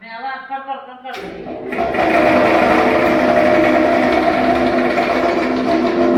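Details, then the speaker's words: 12-inch domestic flour mill, 2 HP single-phase motor, before repair: steady whir with a fast regular rattle about three per second from the pulley, loose on a bore widened by grinding; flour coming out coarse. "और दोस्तों यह पूली आवाज कर रही थी जो first में आपने देखा"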